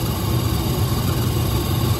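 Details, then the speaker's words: Trane gas furnace that stopped heating at the end of last season, heard at the inducer assembly. A constant low, rough droning hum with a slight wavering throb and no speed change; the technician judges the inducer motor noise unhealthy. "yeah I hear you I don't like the noises thing making though that's a concern for me"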